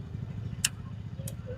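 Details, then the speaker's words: Bajaj Discover 150, ignition on with engine off, electromagnetic auto choke converted to manual with an added switch, recorded close to the choke: two crisp clicks about 0.65 s apart over a low hum; solenoid pulling in and releasing normally. "ये आवाज़ सुनी, ये जब मैं switch को on off कर रहा हूँ उसी की आवाज़ आ रही है।"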